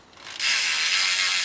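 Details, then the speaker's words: 2015 NS Bikes Decade dirt jumper with a Hope Pro 2 Evo rear hub and 16-tooth cog: loud, fast, even, high-pitched ratcheting buzz as the wheel coasts; a healthy, noisy freehub. "super noisy such a cool stand like and that's an amazing hub so important engagement i highly highly recommend that hub it sounds so cool"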